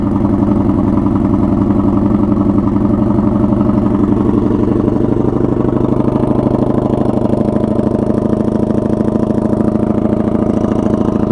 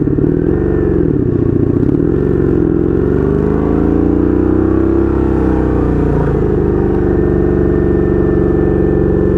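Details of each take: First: 1982 Honda Magna V45 VF750C V4 on choke with makeshift straight pipe, cold start: lumpy idle with loud open exhaust bark, firing pulses even and steady; fires up without problem, runs cleanly (owner thinks carbs need synchronizing). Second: 1982 Honda Magna V45 VF750C V4 with a temporary straight pipe, first ride, idling in neutral: a loud, lumpy, wandering beat that swells and sags over a few seconds. Carburetors out of sync and needing synchronization.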